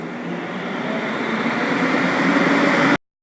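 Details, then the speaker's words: Santa Fe Advance2 after fan switch replacement, switched from fan auto to fan on: even air whoosh rising to speed and running smoothly with no rattle or scrape. "So now you're gonna just flip it from fan auto to fan on, and you should hear the fan turn on."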